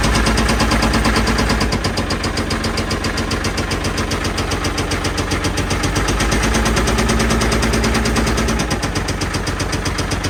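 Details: Old Caterpillar 977L track loader diesel started on lots of ether: loud rapid cracking bangs, about four a second, over rough running; heavy backfiring, sounds like it's going to come apart, though oil pressure is said to be good.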